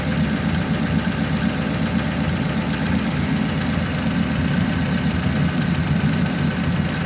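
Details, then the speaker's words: 1933 5-window coupe, worn "crusty" flathead just restarted after nearly 3 years parked, idling in a closed garage: low, lumpy idle with an occasional uneven exhaust beat; slight misfire, which the owner expects to improve after a good drive. "Little bit of a miss there, but I'm sure it would be better, you know, get it on the road and give it a good drive."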